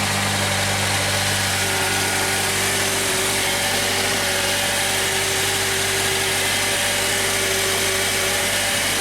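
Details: 2008 Honda Accord with intermittent no-crank, after fixing leaking-battery-damaged terminal and reattaching; steady, smooth idle with even low hum, no misses or knocks; engine runs normally.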